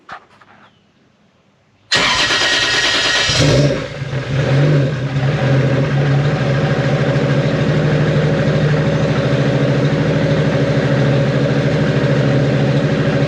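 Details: Freshly built 1.5JZ (bored 2JZ-GE block, 1JZ-GTE VVTi head, Manley rods and 9:1 pistons, Brian Crower 272 cams) started after break-in and an oil change on a startup tune: quick catch, one blip, then an even idle; healthy.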